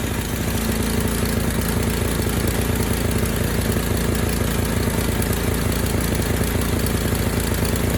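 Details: Ariens 920021 snowblower, first start of season after draining last year's gasoline from the carb and refilling with fresh fuel, primed: steady, even single-cylinder putter at a fast idle with no misses, surging or hunting; normal running.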